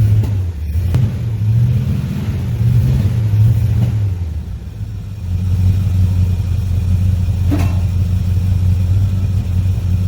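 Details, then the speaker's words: 1963 Chevrolet Impala V8, long-sitting, after blowing out fuel line: uneven, lumpy loping idle, running on about five cylinders; owner suspects old gas and bad plugs, possibly fuel pump or clog. Misfire. "They were running on about 5 cylinders. I'll let it run a little bit, so it keeps running. Got a Dave gas, probably bad plugs."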